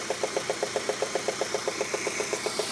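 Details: Peugeot 106 GTI engine, head done 3 months ago with new plugs, runs fine without overheating or hesitation: sharp even tick about seven per second keeping pace with the engine; cause found to be a failed 4-month-old (5000 km) spark plug.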